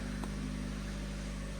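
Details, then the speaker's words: Ford KA Tattoo engine idling after alternator and motor replaced, belt not yet refitted, fresh oil: steady even hum, no knocks, ticks or squeal; sounds much better, normal idle. "That sounds so much better. Just straight away. Oh, yeah."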